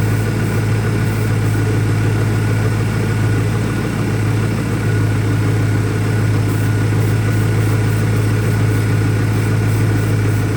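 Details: 2001 Ford Mustang Cobra idling rough, deep pulse about three a second with an uneven, lumpy rhythm and no whistle or hiss; new Bosch plugs fitted, owner asks about possible vacuum leaks.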